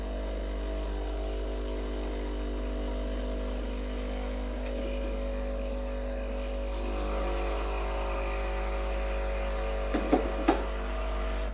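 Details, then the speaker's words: Breville Barista Express BES870 pump running a blank double-cup shot with empty handle to warm up and flush the machine; steady low hum, even buzz, a few gurgles near the end. Pump sounds healthy. "this will warm up the machine a little bit by running the hot water through the system"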